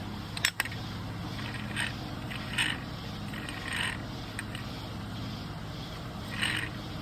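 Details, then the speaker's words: Go-kart centrifugal clutch removed and spun by hand: dry, uneven rattle with light scraping ticks each turn, alternating spinning good and bad; bearing looks grimy and worn with play, owner plans a new clutch. "I like how it goes spinning good to spinning bad. What? Why are you spinning good now?"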